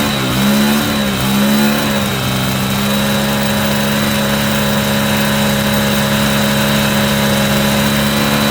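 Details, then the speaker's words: Cheap Yamaha motorbike after carburettor and fuel line clean, running on its own fuel without easy start, air filter loosely refitted and needing cleaning: single blip then steady but slightly uneven idle; rough idle, idle adjustment suspected. "that is a success as you can hear behind me it is still idling over nicely without me without easy start it is running on its own fuel"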